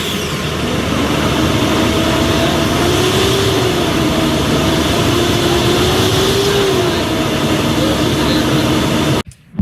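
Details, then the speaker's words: 2008 Nissan Pathfinder R51, about 215K miles, cold morning start: heavy steady whooshing roar with a slowly wavering hum like a vacuum cleaner or hovercraft; cheap aftermarket fan clutch stuck constantly engaged, to be replaced with OEM part. "Heads up, ECC's fan clutch is very, very, very noisy. It is constantly engaged and makes our car sound like a Hoover."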